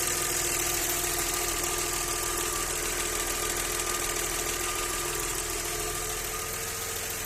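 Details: Audi 100 C4 2.6 at idle: fairly regular light knock about three per second riding over the engine hum; owner asking what is knocking, source not pinned down.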